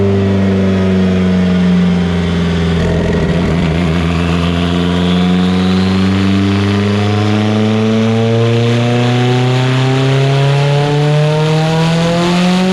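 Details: Evo 8 on dyno, built 2.0, GTX3584RS, Haltech Elite 2500, after swap to Toyota Denso coils and retune: smooth even climbing note under full load at 25 psi on 93 octane, no breakup; clean pull.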